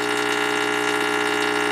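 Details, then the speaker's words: Tube radio receiver that stopped working after a failed restoration: a steady, even mains hum with a buzzy edge. This is the normal sound of the rectifier tube converting AC to DC. "that's changing AC to DC and we're hearing it. That's what that sounds like."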